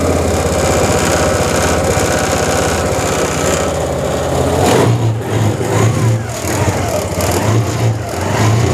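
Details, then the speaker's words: TVS Jupiter BS6 scooter, starting problem from faulty fuel pump return valve causing no pressure, valve blocked as makeshift fix, pump itself fine, no filter; catches and runs steadily with smooth rev changes, no knocks or misses. Normal running. "तो ये start हो गई है, मतलब ये पूरा जो जुगाड़ है ये काम कर रहा है।"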